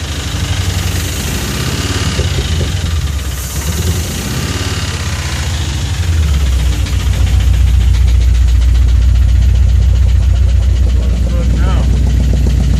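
Steady idle with a low, regular knock around two and a half per second riding over it; a knock, source not yet pinned down. Cause suspected, not confirmed.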